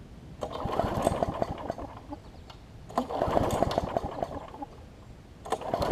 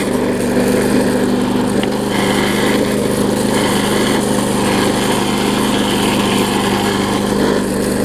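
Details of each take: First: Bolens self-propelled push mower with about a 4.5 hp Briggs & Stratton, primed: repeated pull-start bursts that never fire; no spark because the ignition coil was gapped too far from the flywheel, later regapped and it runs. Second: Bolens front-wheel-drive self-propelled push mower with roughly 4.5 hp Briggs & Stratton, after regapping ignition coil that sat too far from flywheel (had no spark): steady, even single-cylinder buzz at constant speed, no misses; running properly.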